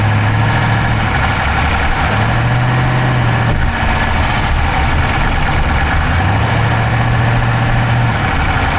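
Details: Dodge Charger Hemi V8 at steady idle, recorded inside the driver's-side engine bay: a fast, even ticking, quicker than a lifter tick. No exhaust smoke, so the owner doubts a dropped valve; source unclear.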